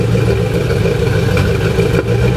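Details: C4 Corvette V8 revved after head gaskets and a valve job, front cats deleted with a 2.5-inch Y pipe and Cherry Bomb glasspacks: irregular exhaust pops and clatter. Owner suspects a too-tight rocker arm holding a valve open.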